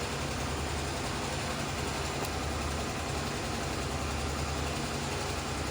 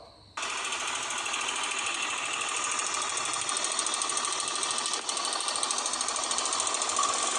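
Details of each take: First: Honda CBX 250 Twister after fixing an engine noise: steady, even single-cylinder idle with low chugging beat, no tapping or chain rattle; noise gone, only normal engine sound. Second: Honda CBX 250 Twister at idle, still running normally with no power loss: loud, fast, shrill metallic chatter; slack cam chain slapping because the tensioner lock failed.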